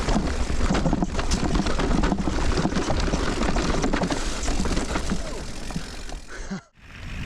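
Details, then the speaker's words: GoPro mounted on a Bell Super Air helmet, mountain bike descent: light irregular rattling clicks over wind rush and trail rumble; owner suspects the bolt holding the GoPro in its mount was not tightened enough. "as I'm sure you've just heard, that rattling noise is still there even when I mount the camera to the old Bell Super Air that I've got on at the moment."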